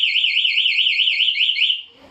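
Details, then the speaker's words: Honda Beat scooter with an aftermarket one-way anti-theft alarm armed: tampering or break-in triggers a long, loud warbling siren sweeping about five times a second, then it stops abruptly, and the engine cannot be started. "Oke jadi kalau dibobol suaranya itu panjang ya Mas ya"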